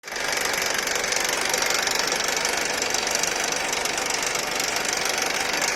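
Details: Honda Accord K24 engine at idle: constant tinny rattle over the idle, fast and fairly even, loud in the upper range; rattle source not yet known.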